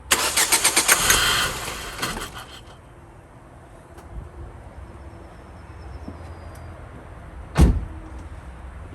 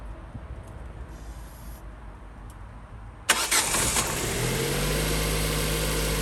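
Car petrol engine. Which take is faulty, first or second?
first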